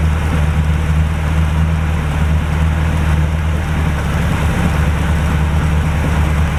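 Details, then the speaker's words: 1949 Chevrolet engine restarted after long storage with new fuel and battery, idling low with a deep hum and slight unevenness as it warms; it smokes and the owner is monitoring it, hoping it clears; the thermostat later opens, but oil pressure is unmonitored. "So we're going to crank it up again. Again, you'll see the smoke, whatnot. We're just going to monitor that, make sure that's not a bigger problem than I assume, and hopefully she'll clear up and run good."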